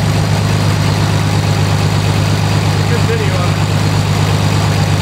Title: 1920 Locomobile first run after rebuild